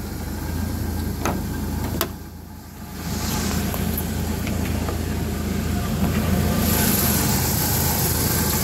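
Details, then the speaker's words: 1997 Jeep Wrangler SE at a steady low idle with a loose, uneven metallic exhaust rattle from somewhere around the muffler. "and it does have an exhaust rattle which you can hear back here somewhere around the muffler near the exhaust rattling"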